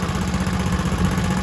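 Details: Kohler K91 single-cylinder engine, first start in six years after an exhaust was rigged up and a stuck carburettor float freed, on petrol: a steady, even putter with a deep, constant beat and no knocks or stumbles; it runs cleanly.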